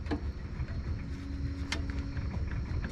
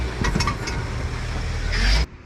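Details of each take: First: Chevy Traverse/GMC Acadia front suspension after replacing the blown-out right front control arm bushing, torqued with suspension level; low steady rumble with only faint light ticks, no heavy clunk over bumps anymore. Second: Chevrolet Traverse/GMC Acadia clunking over bumps: several dull knocks over road rumble while driving, from a blown-out right front lower control arm bushing; repaired by replacing bushing with bracket, plus left ball joint.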